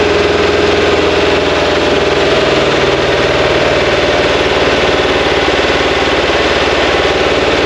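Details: New 2180cc VW air-cooled engine (92 mm thick-wall pistons, big crank) for a 1968 single cab, first start break-in, carbs and timing being tuned: steady, even fast idle, no knocks or ticks; running cleanly.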